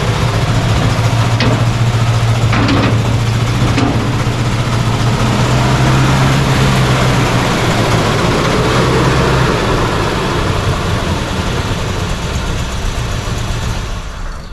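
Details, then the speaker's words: 1968 Chevy C10 short bed, started after sitting about 8 months, 80 degrees out: deep lumpy cold idle with uneven beats and a pop, sagging toward a stall; "valve fart"-like misfire, old fuel suspected, unconfirmed. "Yeah, it sounds like it's doing like a valve fart."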